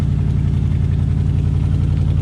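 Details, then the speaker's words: Original engine in a 1967/68 Ford F100 pickup with a rebuilt, newer carburetor, idling after about 17 years sitting; steady, even low V8 rumble, no misses or knocks, exhaust leaking from two holes in the muffler; normal idle. "listen to that truck y'all look at that beauty she is idling two holes in the muffler"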